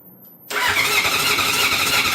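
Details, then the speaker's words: Honda CB750 cafe racer after full engine rebuild, starter newly wired through Motogadget M-Unit, carburetors leaking fuel: starter spins the engine at a steady high whir but it never fires; crank no start, no spark suspected. "Fuel on. Watch for leaks. Yeah, well, there's our leaky carbs again, so Chris definitely needs to sort that out. And didn't sound like a spark either, did it?"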